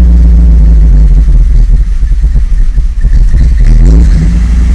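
Deep idle that lurches and dips irregularly, uneven beats around three or four a second; the engine is idling rough.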